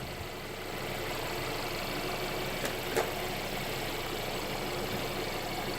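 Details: Mercedes CLA running on fresh Mobil 1 0W-40 and OEM Mercedes filter after a DIY oil change: quiet, even idle with a soft steady hum and no ticks or knocks; normal, healthy idle.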